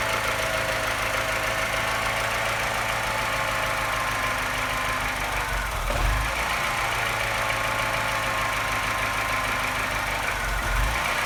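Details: Engine at low idle after revs drop: light steady tap growing louder and note stumbling unevenly, sounding like a London taxi; tapping and slight misfire appear only as revs fall, cause unknown.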